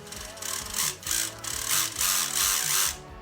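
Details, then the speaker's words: Axial Capra RC crawler transmission before servo fitting: loud gritty gear whine swelling with each throttle burst, about three per second, plus clicking; suspected pinion or gear mesh too tight, to be inspected. "it just sounds like it's um right in here so it's either saying that we pin or possibly uh a gear mesh too tight so i'll have to have a look at that"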